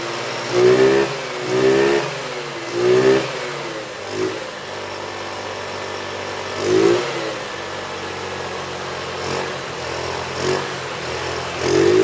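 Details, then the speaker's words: 2008 Roketa Sicily 150 scooter after repair: crisp throttle blips rising and falling cleanly over a steady idle, no bogging or popping; running beautifully before reassembly. "as you can see it's running beautifully now so I'm going to go ahead and start reassembling it here"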